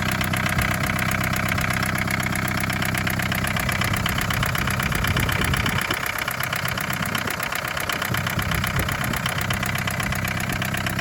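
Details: 1981 Isuzu Pup diesel C223, started after sitting 4 hours, warming up: steady clatter at idle with a brief sag and stumble; air bubbles seen in clear line from fuel filter to injection pump, suspected air in fuel.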